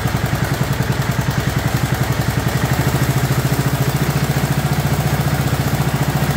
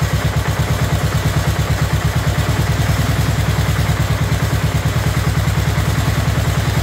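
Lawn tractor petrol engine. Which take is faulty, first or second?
second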